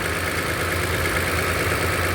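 Idle sounds lumpy with an uneven, stumbling beat instead of a smooth hum; one cylinder is dropping out, a misfire on number six.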